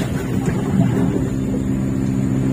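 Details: Sharp ES-T95CR twin-tub washing machine after repairing a gearbox leak caused by a foreign object, run several minutes nearly full with no drips: even low motor hum, steady pitch, no knocking, scraping or rattle; the wash motor is running normally.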